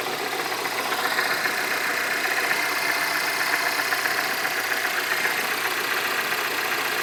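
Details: MINI R56 Cooper S at cold start: busy, rattly idle with a fast, uneven ticking chatter over the engine. The owner asks whether this is normal; the cause is unclear.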